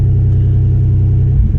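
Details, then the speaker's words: Dodge Journey with no power, revs limited below 3,000 rpm and traction control not working, before alternator test: steady low rumble that surges and stumbles, revs dipping, owner says it sounds like it wants to cut off; rough running, cause unclear. "let me turn it off and turn it back on no matter of fact it sounds like it want to cut off now"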